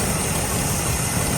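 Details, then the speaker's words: 1981 Chevy K10 just restarted after replacing the intake/exhaust gasket to fix an exhaust leak, warming up: steady, even low idle rumble with no ticking or puffing from the manifold, much quieter than before the repair; normal idle. "You can already tell she's much quieter, whole lot quieter than if you go back to the uh original video."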